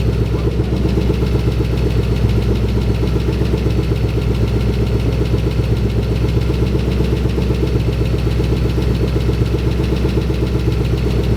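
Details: 2011 Mustang GT with freshly installed Gen 1 Coyote V8, first start at idle: fast light tick keeping pace with engine speed over a steady idle; owner suspects an exhaust leak from an unattached rear exhaust section; motor otherwise sounds healthy.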